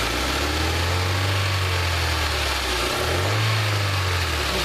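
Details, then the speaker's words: 2001 Hyundai Elantra with original spark plugs, jerking under throttle: low engine hum that shudders and drops out as revs rise, a cylinder misfiring; ignition suspected, slight rich fuel smell noted, later traced to worn plugs. "you got you got a cylinder that's going down see how it shutters like that uhhuh go that as that's ignition"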